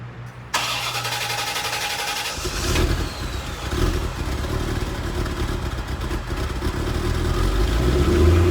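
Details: 1989 C4 Corvette V8, stock exhaust, cold start after sitting a couple days with Seafoam in the fuel: short crank, catches at about two seconds, settles to steady slightly lumpy cold idle; starts and runs fine.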